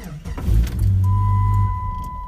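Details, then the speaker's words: 1997 Jeep Grand Cherokee locked with the alarm armed and opened with the key: the engine catches briefly, then dies within a second as the alarm module shuts it off, with clicking from the module behind the dash and a steady chime. "and it shuts it down you can hear the clicking we'll try one more time shuts it off"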